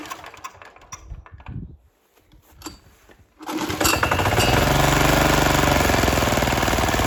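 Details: 178F single-cylinder diesel walk-behind tractor that would not start after winter, running after cleaning and a new gasket: after a few quiet seconds it fires and settles into a steady, even chug of about four beats a second.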